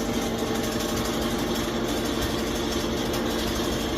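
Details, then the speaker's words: Kenmore Smart dryer, pulled out and opened for diagnosis, runs with a steady droning hum and a rough scraping rumble; the idler pulley wheel is worn out and is believed to be the cause. "hemos hallado nada visto que esta está dando un pequeño problema y es que se ha acabado la ruedita deción creemos que este es el problema"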